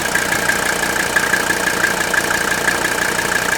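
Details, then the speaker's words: 1979 Mercedes 300 SD turbo diesel with 167,000 miles, mic held close to the engine: steady even idle with a light regular clatter of about three beats a second, no knock or miss. Smooth, sweet-running engine. "much smooth airs so much white and of course hey more powerful this is a really sweet running engine with only a hundred and sixty seven thousand miles on this season's just barely broken air"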